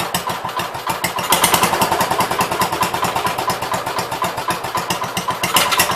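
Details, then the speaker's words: Gravely 566 single-cylinder engine running during the build, about a quart low on oil (at add mark), transmission tested in gear 8; crisp, steady putter with no misses or knocks, runs really well, normal running. "Sounds like it'll run pretty decent. Runs really well."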